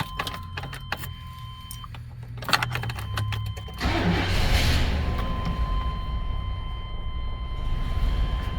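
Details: 1999 GMC Suburban 1500 4WD with intermittent no-start and stalling, after checking grounds and fuse box: brief starter cranking, then catches and settles into steady idle.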